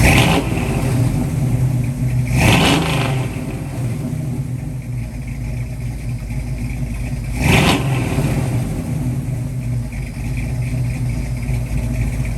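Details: 1966 Mustang with freshly rebuilt 289-based 331 Ford stroker V8 (hydraulic roller cam), startup: lumpy, even idle snapping up cleanly on three short blips and settling back without clatter; normal idle and revving.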